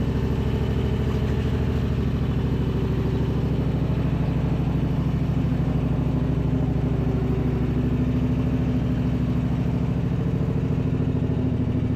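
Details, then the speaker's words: Husqvarna RZ5424 zero-turn mower revived after a no-crank condition, starter noise now cleared, spindles and idlers checked: engine holds a smooth, even beat with the deck engaged and no grinding or rattling. Healthy engine, quiet deck. "guys can see how smooth it"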